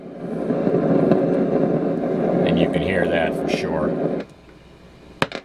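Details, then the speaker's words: Kriesler 11-81 valve radio probed with a signal tracer at the valve's grid and anode: dense irregular crackle and hiss from the anode, silent at the grid, from a breaking-down valve; surrounding resistors were checked. "there's the grid there's the anode oh and sometimes it takes off it gets a whole lot worse than that it just gets incredibly loud but that's definitely coming out of that tube"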